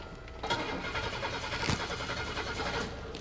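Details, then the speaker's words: 1995 Buick Park Avenue Ultra 3.8 supercharged, stalled while driving, shop replaced fuel pump: starter cranks the engine at an even pace about three seconds but it never fires; no spark, no injector pulse despite power at the ignition module. "That's interesting. I still have no spark and no injector pulse."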